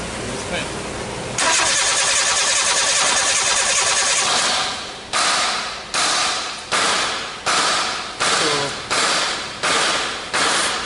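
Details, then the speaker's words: Nissan Sunny Y11 AD wagon after engine swap, code P0335, intermittent: starter churns then short bursts of cranking, never catches; good compression but no spark; crank no start. "not getting no spark I'm getting I'm getting compression right but I'm not in the spot this lower right so I'm getting compression I'm not getting no Spar"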